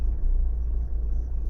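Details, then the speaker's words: Renault Megane 1.5 dCi diesel cold idle: deep, uneven, lumpy beat and shaking, running like three cylinders until warm after about 5 minutes; injector back-leak test shows failed injector; finding: cold-start misfire from faulty injector. "Yeah, it's shaking a lot. You see, now it starts really misfire."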